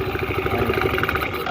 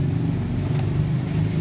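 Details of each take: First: Fairly new scooter CVT before repair: uneven rattling chatter from belt drive; pulley washer installed backwards by previous mechanic. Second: Scooter CVT after replacing pulley washer that previous mechanic installed backwards (inside): starts and settles to smooth idle, short throttle blip with no rattle or whirr; drive now quiet, though bushing play noted.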